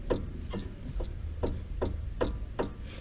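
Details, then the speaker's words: 2014 Hyundai HB20, driver-side stabilizer link rocked by hand on a lift, sharp hollow clunks about every 0.4 seconds from link play; steering rack, stabilizer bar and ball joint ruled out; link replaced. "só a bieleta não tem que ser aqui ó não é caixa de direção não é do estabilizador não é pivô nem nada"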